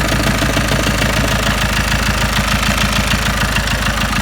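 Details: Ford Mondeo Mk5 2.0 diesel, 246,000 miles, just after timing chain and tensioner replacement: idle with chugging pulse about three times a second over the clatter; rough uneven idle.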